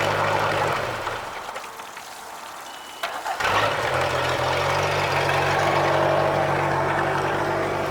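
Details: Boat engine after service with new spark plugs, oil, oil filter and fuel filter, compression 169–179 psi; shuts off and restarts promptly into a smooth, even idle, with only a minor miss remaining.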